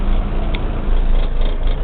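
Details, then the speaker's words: Suzuki Swift GTi with Hyundai transmission, on Sandros chip ECU at idle: deep, uneven, slightly fast lumpy throb; idles higher and rougher than with stock ECU, which idles smoother. "the sandros chip idles a little bit higher it picks up quicker than the standard ECU but it has the idle is rougher"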